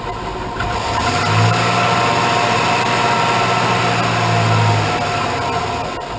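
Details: 2001 Suburban 2500 6.0 Vortec, cold start at about 1 degree after sitting overnight, right after cylinder head rebuild (new plugs, wires, gaskets, intake valves, seats): lumpy idle with RPM surging and sagging, nearly stalls; cause unknown. Rough cold idle.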